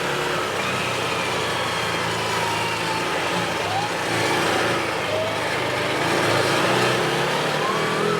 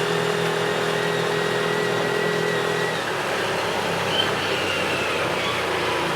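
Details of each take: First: 2017 Odes side-by-side in low gear at about 13 mph, light throttle: engine repeatedly drops off and picks back up in uneven swells, surging badly; stops under full throttle. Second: 2017 Odes side-by-side under way on the road after the fix: a steady engine drone over road and wind noise pulls evenly without surges, stumbles or popping, because the gear position sensor no longer jumps to neutral or reverse and upsets the fuel enable.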